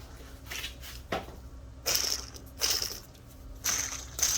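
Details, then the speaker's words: Car with noise when accelerating: old bearing spun by hand gives short gritty rasping bursts, rough running; owner suspects the broken bearing is making the noise, and it is being replaced with a new one. "i have a broken bearings probably making noise that's the new one now i need sound braking new one"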